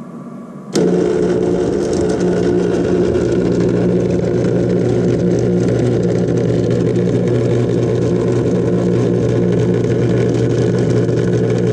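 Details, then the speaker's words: Thermal Dynamics Cutmaster 52 plasma cutter, a few years old, powered up: loud clattering, buzzing mains noise with rough fluttering chatter at switch-on from an apparently failed contactor (24 V coil, 50 A, 220 V); replacement contactor to be ordered. "the contactor apparently has gone bad and when these things go bad they make a pretty bad clattering buzzing type noise"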